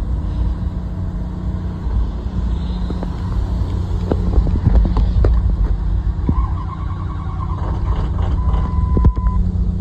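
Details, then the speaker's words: 2006 Ford 6.0 diesel with 67,000 miles, cold start after cycling the glow plugs: a low, laboured cranking churn with scattered uneven clanks that never catches. The cold diesel cranks but won't start. "Hit the glows again. You don't want it, dude. Did 67,000 on this thing, it won't start."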